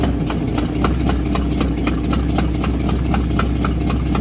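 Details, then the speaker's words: "Bluick" Buick with an ongoing misfire after new cap, rotor, wires and coil, idle previously turned down: low, lumpy idle in drive with uneven chug and irregular stumbles, about four pulses a second; idle possibly set too low, cause unknown. "like barely chugging over what it's running I mean I prefer to the low lumpy Idol myself"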